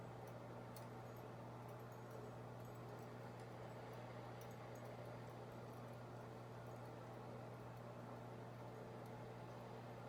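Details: Harbor Breeze Builders Best 52-inch ceiling fan from March 2004 crawls at very slow low speed, slowest fan owned, with a steady low motor hum; bad capacitor starving it of torque.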